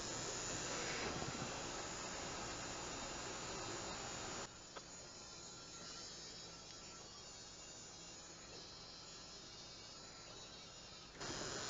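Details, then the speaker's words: New-model Dollar Tree fan with factory grease removed, run about 20 minutes at three volts: steady high airy whir, pitch sagging as the dry, very hot motor slows and current rises; overheating motor slowing down, eventually melts. "hear it starting to slow down I should have gotten the tachometer out but I can hear it slowing down the current was going up"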